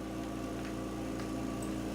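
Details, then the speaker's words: Home oxygen concentrator running: a steady low hum with a constant mid tone and a faint airy hiss, with no knocks or surges. It runs normally but is loud enough that it is kept in another room on a 50-foot hose. "this because this machine is kept in another room because it is as you can hear kind of noisy I guess you might be able to get used to that and be able to sleep with that on if it was right next to you"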